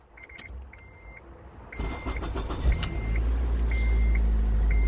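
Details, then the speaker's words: 2004 Honda Element right after ignition switch replacement (had buzzing no-start): engine cranks briefly, catches cleanly and settles into steady idle while a warning chime sounds; normal start. "all right it's in there let's go ahead and test it out and it started right"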